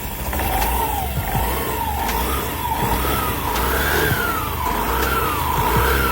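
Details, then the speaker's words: Honda Activa BS6 scooter, 24,000 km, run without oil, after engine repair, new air filter and clutch cover refit: engine swells through quick blips, firing smooth and even with no knocks, normal revving. "Start करते हैं। Company जैसा firing आया है।"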